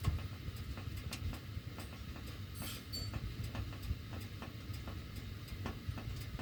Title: CAN ANYONE EXPLAIN WHY MY DUCTWORK MAKES THIS NOISE WHEN MY HEAT IS ON